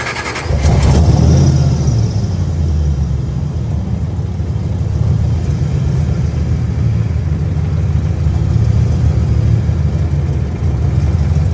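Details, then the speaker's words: Mustang with 5.4L Lightning V8 swap, sat about a year: deep lumpy idle with rough uneven puff; exhaust leaking on both sides, worse on one, exhaust smell in cabin; fuel pressure also dropping, possibly low fuel; exhaust manifold leak. "I think it's probably what we're smelling is that exhaust leak it's definitely leaking on both sides yeah yeah definitely worse on this side I think definitely needs some attention on the exhaust situation"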